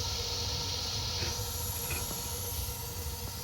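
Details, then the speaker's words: Newly installed gas water heater: pilot lit with the igniter, then the main burner ignites with a steady, even gas rush and no popping or sputtering; normal burner ignition. "Okay. And now I'm going to There it goes. You guys can hear it."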